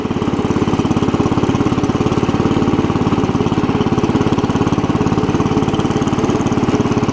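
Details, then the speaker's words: Cub Cadet 70 garden tractor after drive repair, driving: steady single-cylinder thump of about three beats a second without stumbling or slipping; normal running. "first is down to the left the release it grabs and it drives"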